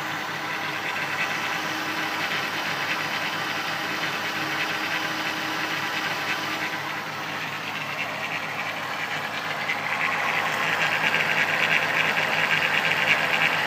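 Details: 1994 VW Golf VR6 at idle with an early timing chain rattle, a thin metallic rattle on top growing louder toward the end; chain replaced before it got really bad.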